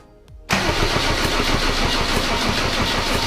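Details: Mercedes W124 with OM606 turbo diesel, first start attempt on a new battery; fuel came out only in weak spurts. The starter churns with a steady uneven chug and it never fires: crank, no start, cause unconfirmed.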